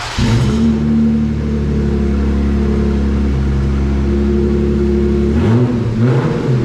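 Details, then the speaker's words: Jeep Gladiator JT 3.6L V6 started and revved with cats but no cat-back exhaust; loud raw idle with metallic rattle from one leftover front exhaust clamp rattling on the pipes, before AWE exhaust install. "all right so that rattling you hear that's from that one exhaust clamp that i left on in front so it's rattling on the on the pipes"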